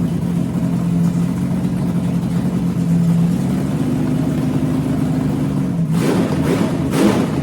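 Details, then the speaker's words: 6-inch rodded 350 Chevy V8 (HQ Holden Kingswood project), run after fixing the MSD box earthing fault; loud, lumpy, uneven rumble that hunts and won't settle; doesn't like to idle; owner notes a couple of vacuum leaks. "Doesn't like to idle."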